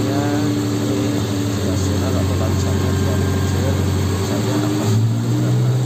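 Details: 1986 Suzuki Jimny 1000cc with added AC and power steering: small four-cylinder holds a smooth, even idle with steady low hum, no knocks or rattles; engine sounds healthy.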